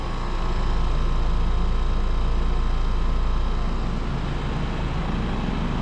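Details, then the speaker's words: New Trane Choice 15 5-ton heat pump from August 2025, apparently LG scroll compressor, outdoors at 93°F; deep even compressor hum under smooth fan rush, no knocking or squeal, suction line ice cold; normal heat pump running. "Sounds like it has an LG scroll compressor. And this unit is a 5-ton from August 2025. And it is a heat pump."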